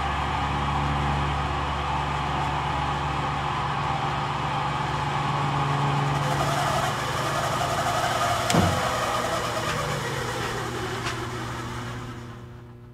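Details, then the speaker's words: Pacemaker lathe motor, likely 440 V via transformer, machine on with spindle off: steady electric hum with shrill sustained whine, smelling of burning electronics; motor failing, suspected worn bearings. "realized it was the lathe motor whining and screaming and it was actually starting to smell like Electronics"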